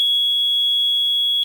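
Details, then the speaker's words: Mircom FA-1000 conventional fire alarm panel with a notification appliance circuit terminal module unplugged: steady high-pitched buzz for about 1.5 seconds, then stops; normal trouble tone. "these little terminals actually unplug unplug one it'll go into a trouble"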